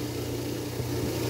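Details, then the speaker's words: Newly installed InSinkErator garbage disposal plugged in directly, bypassing its air-switch box with the tube disconnected: steady motor hum that runs until unplugged; disposal works but cannot be switched off. "but if I take it out of the adapter and I plug it in there it goes you can hear it but I can't turn it off"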